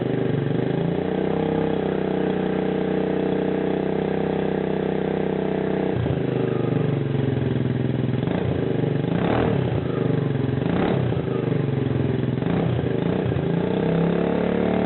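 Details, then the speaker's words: TaoTao Lancer 150cc scooter with a temporary homemade muffler (lawnmower exhaust on welded black-pipe couplings) replacing the clogged factory muffler: starts and blips with a raspy, overly loud bark on each rev. Loud exhaust. "basically a lawnmower exhaust actually works pretty well it's a little bit loud but it's only temporary"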